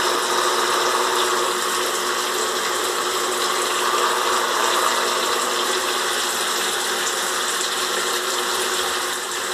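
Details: Electric shower running: steady hissing water with a constant buzzing edge, owner says it sounds like a welding machine; shower is faulty, making noise and getting very hot.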